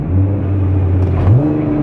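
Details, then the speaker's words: Nissan R35 GT-R dual-clutch gearbox in automatic mode while driving: deep drive drone stepping up in pitch with a dull mechanical clunk at the shift; normal for this gearbox. "it's like it's so clunky and it's always on they're normal that's what it normally i mean that's what it sounds like from from nissan"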